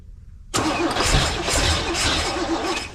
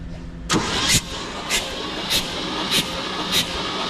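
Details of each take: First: Abandoned 1971 Chevy K-20 after 15 years sitting, exhaust fitted: labored, uneven cranking that keeps trying to catch but never settles; ignition timing suspected too far advanced. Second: 1971 Chevy K-20 after 15 years sitting, cranking without spark plugs to build oil pressure (reached 60 then about 45 PSI): even starter cranking, regular swishing pulses about every half second, no knocks or grinding; turns over freely, normal.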